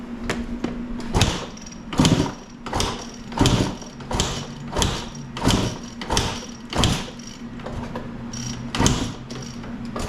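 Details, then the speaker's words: 1995 KTM 300 EXC that won't start, being kicked with the choke on after carb work and smoke from the rear; owner suspects low compression: repeated kicks about one a second, each a dull churn that never catches or fires. "so something we can try if compression is low a bump start we'll kick it over fast enough that we can maybe get enough compression that it'll fire"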